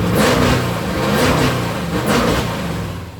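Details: 1964 Ford Fairlane 427 big-block FE V8 with modified dual carbs, not yet warmed up, about 900 rpm idle: steady lope with quick clean throttle blips rising and falling smoothly; normal idle and free revving.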